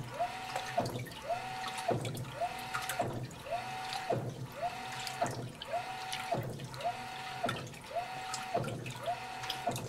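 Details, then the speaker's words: GE Infusor GTWN5050M0WS H.E. washer running an empty cycle, slow-speed agitation: a rising, then level motor whirr about once a second, each stroke ending in a soft thud as the tub stops abruptly; working normally. "the little thud at the end and the tub just moves ever so slightly like it's hitting a brick wall stop"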